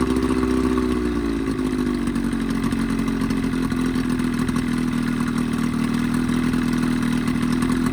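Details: Evinrude 20hp two-stroke outboard modified to 25hp, after full service, reeds, primer seals, thermostat; steady even drone that settles after a slight dip, no misfires or surging; earlier lean coughing and spitting fixed, running cleanly.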